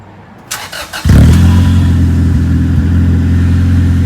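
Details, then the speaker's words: 2001 Acura Integra, muffler removed but resonator and catalytic converter kept, cold start: quick crank catches and settles into a deep steady, fairly quiet exhaust drone with no misses, quieter than expected; normal start and idle. "not as loud as I thought it would be. Give it a little bit for it to warm up."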